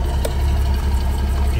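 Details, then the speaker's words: Porsche (Cayman/Boxster/911 type) idling with steady low rumble and faint gurgle from the deliberately opened oil filler cap, creating a big vacuum leak; fuel trims already bad and now pegged at 1.25 on Bank 1. "can hear it gurgling around in there and that introduces a big vacuum leak into our system"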